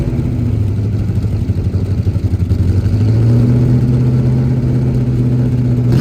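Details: 1977 Holden HX Statesman Deville, 308 V8, sitting about 20 years, first run on fuel poured into the manifold: settles from a lumpy, uneven lope into a steadier, slightly faster idle with no knocks or ticks; runs healthy.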